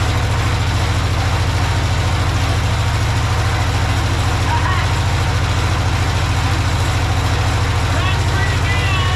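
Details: Project tractor's small engine, fed fuel from a Lucas oil additive container into the hose, with a slightly leaking fuel pump diaphragm. A steady, even low thrum of about three and a half pulses per second. Normal, healthy idle.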